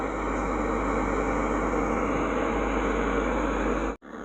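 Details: Old 20-inch Polytron CRT TV at switch-on gives a steady rushing hiss and snoring/farting sounds from the speaker for up to five minutes on cold mornings, then normal; picture fine; cause dried-out filter capacitors feeding the audio chip.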